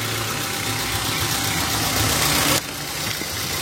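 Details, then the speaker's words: Toyota Avanza engine just started, idling normally: a steady, even idle with a smooth hum and no knocks, ticks or squeal; the engine sounds healthy. "Ini suara mesin mobil dalam kondisi normal ya teman-teman ya"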